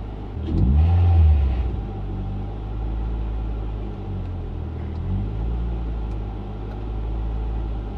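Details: Mk6 Fiesta ST after fitting a new intake pipe with crankcase breather line, throttle body already cleaned: quick blip, revs hang and drift before settling to idle; issue persists, seemingly worse, cause unknown.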